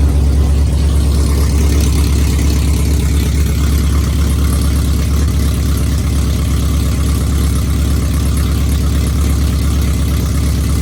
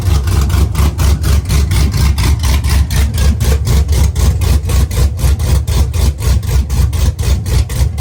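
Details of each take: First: V8 truck with a mechanical DOD delete but DOD still active in the tune, at startup: low, lumpy, off-beat idle like a V6 or four-cylinder, running on four cylinders, two per bank; cylinder deactivation stuck on. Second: Truck V8 with mechanical DOD delete, DOD now removed from the tune (previously running on 4 cylinders), exhaust not yet fitted: deep loping idle pulsing about four times a second, firm and even, mild cam "baby chop chop"; healthy.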